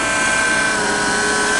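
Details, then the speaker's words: Soundstream 2500 car amplifier opened up, run from a group 31 Interstate battery, with intermittent burping through the sub; only one of its cooling fans runs and the other does not. Loud, constant whirring with a high whine: the running fan is noisy. "see I got only this fan right here is the only one running this one over here ain't running this one makes noise like a son of a"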